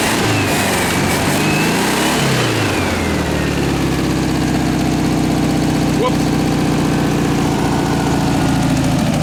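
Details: 1967 VW air-cooled flat-four (ragtop), long-stored, on old stale fuel with fan housing off; revs up briefly then settles to a steady even beat, no misses or knocks. Running healthy.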